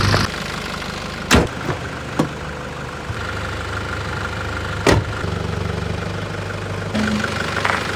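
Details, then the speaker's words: Nissan Patrol with replacement second-hand ZD30 diesel after original developed a tick: steady even idle, smooth low rumble, no knocks; no smoke. "The engine just sounds really smooth, really much quieter than the last one."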